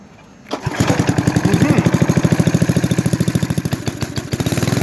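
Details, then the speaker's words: Roughly 54-year-old Yardman Snowbird S.261 snowblower with a 4 hp Briggs & Stratton engine, started in falling snow: it catches after a couple of pulls and settles into a quick, steady single-cylinder chug. A good running engine. "It's old. But yeah, it runs. So this one's going to get torn apart for its motor. Good older 4-horse Briggs & Stratton engine."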